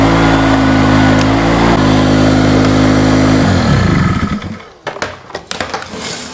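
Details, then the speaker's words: Hurricane 850W 240V two-stroke generator after the spark plug was tightened, under a load set on low: steady even buzzing drone holding constant pitch, then winding down, so it runs smooth and healthy. "It's actually starting real nice now. Oh, more than half the amount of smoke. Just put this on low. She's working."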